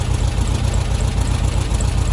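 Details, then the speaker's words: Vintage VW Beetle engine, warmed up, at idle while the carburettor idle mixture screw is backed out: idle drops and starts to skip, low lumpy uneven beat with occasional missed firings; lean misfire at idle. "okay it sounds like it's starting to come down and starting to skip a little bit you kind of have to use your ears here a bit really"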